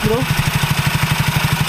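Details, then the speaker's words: Soul GT automatic scooter after repair of a "thak thak" clack from the rear gearbox/final drive under throttle, mic aimed at the rear: even quick exhaust pulses, no clacking, smooth running; the clack is gone. "Udah gak ada suara kayak tadi Matiin dulu Sudah gak ada suara kayak tadi itu udah enggak ada ya"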